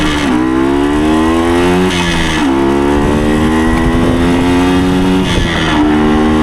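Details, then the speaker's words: 1975 Suzuki TS125 Duster two-stroke on a road ride: revs climb cleanly through each gear with crisp shifts, no breakup at high throttle, revving out further than before; pulling strongly. "definitely reving out further than it was before clean all the way through the gear that's nice good stuff"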